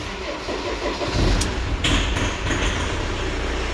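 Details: Ford Transit Mk6/Mk7 diesel after replacing faulty ignition switch that mimicked starter, battery or wiring fault: starter turns, engine catches within about a second and settles into steady idle with no hesitation; starting fault fixed.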